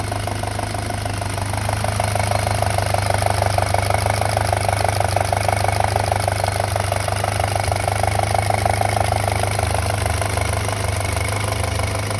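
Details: 2007 VW MK5 GTI 2.0T FSI (BPY) idling, close-up at the engine: fast, light metallic chatter about three per second over a steady idle. Owner suspects the small cam-to-cam timing chain and plans to replace the chain and tensioner.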